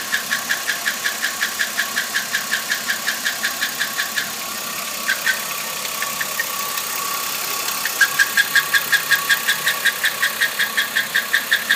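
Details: 2008 Chevrolet Impala idling: sharp, high-pitched ticks about three times a second over the petrol engine, apparently from the intake; source not pinpointed.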